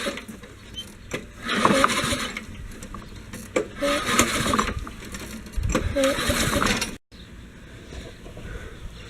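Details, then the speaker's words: Lawn mower with a Briggs & Stratton EX-series engine that won't start: three quick pull-cord rattles, each dying away without firing. Owner believes the carburetor is clogged by old, ethanol gas; not confirmed. "nothing guess we need to clean out the carburetor on this thing"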